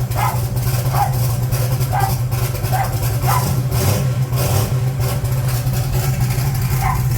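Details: 1980 Trans Am Gen 1 small-block Chevy V8, blow-through carburetor turbo, cold start after valve seal replacement, not run for days: deep steady rumble, lopey cam beat, no knocks or ticks; some smoke blamed on leftover cylinder oil; normal cold idle.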